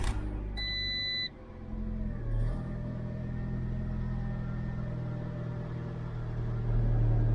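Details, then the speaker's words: Auction-bought 1.2 petrol small car, 97,000 miles, dirty oil, probably no cam belt change, cold start: after a few beeps it catches and settles to an even low hum at cold idle; normal cold idle. "That sounds all right. For a cold little 1.2."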